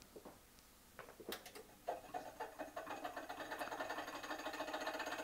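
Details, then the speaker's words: 1980s NABU Personal Computer, new old stock, first power-on: faint rapid ticking scrape quickening as the cooling fan spins up; fan blade rubbing on housing, abnormal noise. "oh that doesn't sound too good so apparently we've got a broken NAU"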